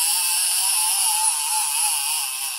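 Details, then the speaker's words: Alutecnos Gorilla 12 fishing reel with the clicker on: a steady, loud, high rattling buzz holds for over two seconds, then cuts off sharply. The clicker is working normally. "so this is a good reel but yeah little bit different sound"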